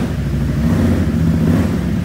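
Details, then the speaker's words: Previously flooded 2020 Can-Am XMR 850 after all fluids changed, revving: pulls up smoothly to an even, steady drone, no longer misfiring, no knocks, running clean and fairly quiet. "Hey it sounds a whole lot better it's not misfiring you gotta be careful with them nabis"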